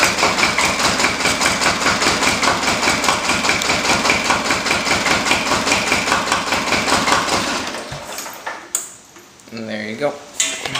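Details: Diesel cold start after about 30 seconds of glow plug warm-up: catches and settles into a quick even clatter, about 150 beats a minute, firing regularly before shutdown; healthy start.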